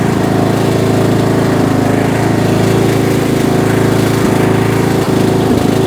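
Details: Bolens M762F lawn tractor, 10 hp single-cylinder, revived after a no-compression teardown, on a test drive burning off spilled oil: steady even beat under load, constant pitch, no sputter or miss; runs healthy.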